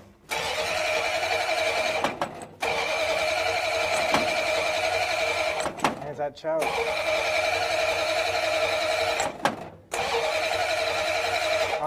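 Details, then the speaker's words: 1935 Ford truck, previously locked-up engine: starter churns in repeated two-to-three-second bursts and never catches; no fuel reaching the carburetor. "oh no fuel that might help yeah that needs to be wired in"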